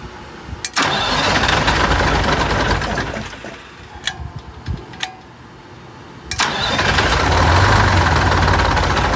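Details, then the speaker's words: 1985 Bluebird Wanderlodge PT40 diesel, cranked with starter after jake brake wiring work: engine turns over at about three beats a second, pauses, cranks again without catching; no start, air suspected in fuel system. "so that turns it over and we got some air still I think in the fuel system but"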